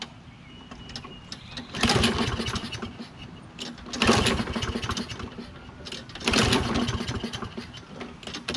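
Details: Toro Recycler mower, Kohler XT675, after spark plug and magneto checks: fires in bursts of a couple of seconds and fades, running only on starting fluid. Black debris was later found in the carburetor bowl.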